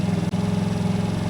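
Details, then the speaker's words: 50cc Chinese TaoTao GY6 scooter, just fitted with a performance carburetor and a capped air filter, coil pack not yet replaced: it fires right up, easier than before, and idles with a steady, even single-cylinder putter, no misses or knocks — normal idle. "it's idling I mean it seems like it started better than it did before it kind of just fired right up"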